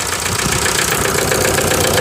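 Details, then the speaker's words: 1998 VW TDI at nearly 500,000 miles, run on waste vegetable oil: rough, dense diesel idle with an uneven, stumbling beat; a stuck piston ring loses compression, pushing it into the bottom of the block and causing misfire and blow-by. "So it's pushing all the compression down into the bottom of the block, and it's got to escape somewhere."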